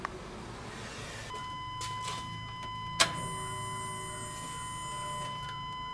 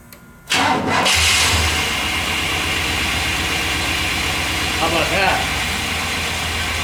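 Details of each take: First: 1998 Chevrolet 1500 5.7 V8, 82,000 miles, idling: steady high multi-tone whine over quiet idle; running without the belt showed the alternator, not accessories or idler pulleys, makes the noise. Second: 1998 Chevrolet 1500 GMT400 5.7 V8, started with the accessory belt removed: cranks, catches and settles into a steady, even idle with no squeal or whirr; the noise was from belt-driven accessories, suspected alternator.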